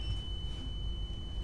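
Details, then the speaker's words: EX30 electric unicycle after a ride with low range: a steady high-pitched beep over a low rumble. It is the BMS warning, with at least one battery pack suspected faulty. "so that is the BMS and uh so that's the problem with uh why I'm getting low range is at least one of the battery packs has a has an issue"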